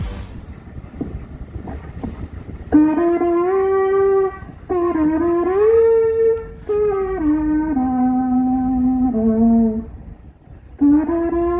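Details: Moaning sound heard while a ship lies at anchor: long wavering moaning notes sliding up and down in pitch, stopping and restarting over a low rumble; source unidentified.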